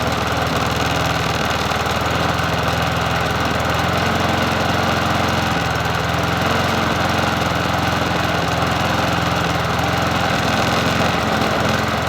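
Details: Bolens 21-inch push mower 11A-B0BL765, a free mower being fixed up, after a new cover and reconnecting the spark plug, on a cool 57°F day: steady, even idle with a consistent beat and no stumbling or hunting; runs smoothly.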